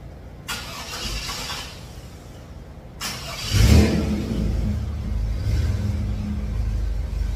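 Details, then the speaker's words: 1954 GMC COE with GM 4.3L Vortec V6, after regapping spark plugs to .035: quick crank, fires at once and settles into a steady, even low idle with no misses; far better than the previous day's stalling. "it's way better than it was yesterday yesterday would fight sitting there in the title and pretty good yesterday it was I had to go in there and you know do the whole butterfly feather of the gas keep it running keep it running"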